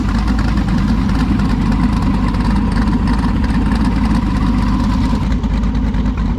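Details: V8 race engine nicknamed Klaus, restarted after about 15 minutes parked: loud, deep, lumpy idle with no knocks or grinding; sounds healthy.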